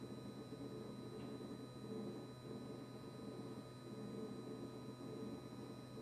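Quiet, unbroken low hum with a faint high whine on top, never cycling off; compressor buzzing constantly, cause unknown.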